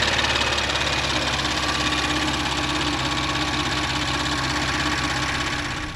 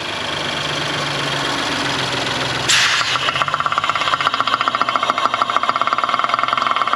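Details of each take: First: Audi S4 B9 3.0T V6 after precautionary rocker arm replacement, new oil and filter, warm: even steady idle, no ticking or knocking, fuel pump noise normal; healthy. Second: Audi S4 B9 3.0T at about 33,000 miles, just after start-up and before a precautionary rocker arm replacement: fast, even metallic ticking over the idle in the valvetrain area; cause unclear.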